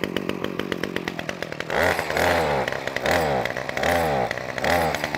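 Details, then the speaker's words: Titan strimmer multi-tool that bogs or won't stay running, started on choke: it fires fast, then revs surge up and down roughly once a second without settling. It is running lean, and the mixture needs richening. "it wants a bit of fuel so I'm gonna put it in the back here and trim that up"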